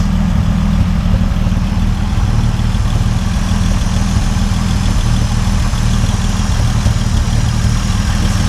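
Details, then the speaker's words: 1950 Dodge Meadowbrook inline engine idling after rewiring away bare-metal connections, radiator being filled: steady, even low rumble with no knocks, ticks or misses; sounds pretty good, normal healthy idle. "I mean, it sounds pretty good. Maybe it all it needed was to not have, you know, bare metal everywhere connection-wise."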